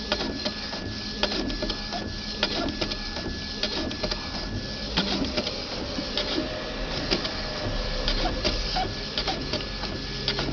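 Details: Epson XP-3700 inkjet printer after fixing carriage locking and strange noise by adjusting the ink hose; carriage makes even back-and-forth passes with regular paper-feed clicks, no grinding or stalling; normal printing operation.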